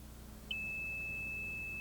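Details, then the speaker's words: Old water level indicator lowered into 40 feet of Geoprobe rod during SP22-ISP groundwater sampling: quiet, then a sudden steady high-pitched beep holds as the probe touches about two inches of fluid at the rod bottom. "this is our old water level indicator here and probably as you can hear it beeps when we hit the water"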